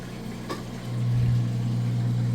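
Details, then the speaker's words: Whirlpool HE top-load washer, moving from wash to rinse cycle; steady, low, even hum with no rattle or grinding as it drains fast; drain pump running smoothly and pumping normally. "Alright, we're moving out of the wash cycle into the rinse cycle. You hear it running that drain nice and fast."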